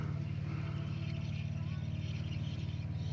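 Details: Triumph Stag V8 after two-year engine rebuild, plugs in, fuel pump working: low, even starter churn at about four turns a second with no firing while fuel fills the carb float chambers before first start.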